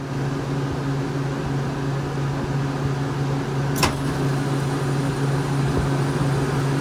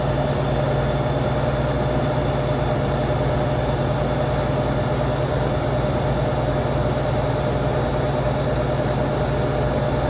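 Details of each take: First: Walk-in cooler box that was not cooling correctly and sometimes icing up: steady low hum with one sharp click near four seconds as the solenoid valve energizes and feeds, cycled repeatedly to catch sticking; normal solenoid operation. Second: Walk-in cooler not cooling, sometimes icing, gauges on: steady compressor hum with condenser fan running at speed, no cycling; sight glass flashing, head pressure climbing, technician suspects overcharge.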